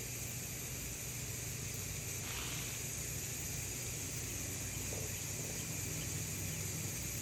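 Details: First-time pressure canning in a new pressure canner (pint jars of wash rags) coming up to pressure before a 5-minute timer: steady, even hiss with a low hum, no sputter or pulsing, normal steam venting.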